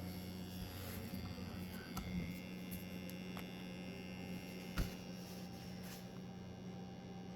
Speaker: And if you can hear it. That's the lovely noise it makes.